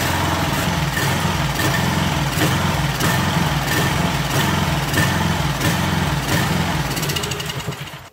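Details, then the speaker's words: Craftsman 2700 PSI pressure washer with Briggs & Stratton 275cc OHV: stumbling, surging idle with the pump running dry. Rough running, cause not pinned down; the owner may swap the engine. "because it shouldn't run this bad so if there really is a problem with it we will steal that other motor and this will be some kind of a backup of parts machine"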